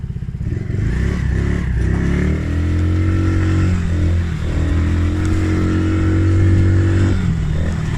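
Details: Polaris Outlaw 50cc quad after carb clean and blocked pilot jet cleared (previously overflow leak, no start). Starts, revs up and holds smoothly with no misfire or stumble: normal running and revving.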